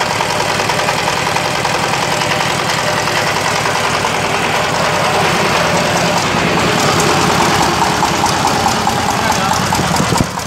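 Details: Yamaoke ZS1100 16 hp (16.5 hp max, rated 2200 rpm) direct-injection marine diesel on test: steady, evenly paced clatter at constant speed with no misses or knocks; normal running.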